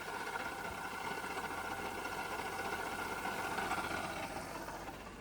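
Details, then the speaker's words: Holden VY Commodore manual, sat for years, first idle after jump-start with no radiator: light continuous mid-pitched rattle and whirr over the engine with clutch engaged; disappears with clutch pressed, so it is gearbox noise. "Okay, so the noise is in the gearbox. That is a massive relief."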